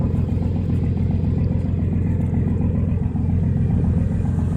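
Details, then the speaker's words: Old steel yacht's twin diesel engines, previously overheating, about to set off from Stralsund: deep steady rumble, even beat around two and a half per second, no knocks or misses; exhausts pumping plenty of water, healthy, just loud. "So as you can hear, the engines are running good. They're just a little bit more grumpy and louder, which doesn't worry me at all."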